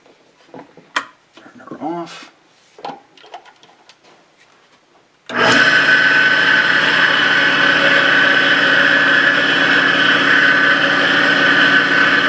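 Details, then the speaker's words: South Bend toolpost grinder, newly acquired, on old belt with loose pulley before teardown: motor spins up to a loud steady high-pitched whir with slight rapid flutter; bearings suspected, replacement planned. "yeah that's loud at least to me it's loud well I think what we're gonna do is we're gonna investigate how difficult it is to replace the bearings in here because that's loud"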